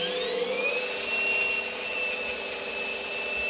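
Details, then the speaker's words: Indesit IWDE126 washer dryer after suspected motor brush fault: high steady whine climbing with drum speed, slightly rough and noisy, but it now spins with no warning lights; new brushes to be ordered. "but it is spinning as it wasn't before, which is a good sign."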